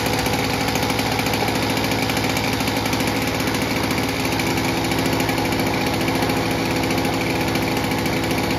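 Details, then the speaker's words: Victa two-stroke lawnmower with G4 carburetor, after pop-up valve adjustment, tachometer reading just over 3300 rpm: smooth, steady high buzz without surging; normal governed speed. "As you saw here, when we adjusted that pop-up valve to that C position, it's come down nicely to just over the 3300 RPM."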